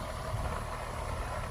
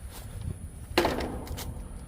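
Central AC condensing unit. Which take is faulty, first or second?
second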